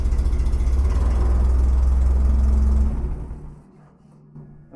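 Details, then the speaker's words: Terex crane engine after fixing a solenoid wiring fault: fires easily and settles into a steady, even low idle with regular beat and no miss or stumble before shutting down; running well. "if she'll fire back up that [Music] easy sweet running like a top"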